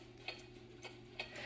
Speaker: so what I'm going to do is run the pendulum hear how it's kind of off it's not even between the tick tocks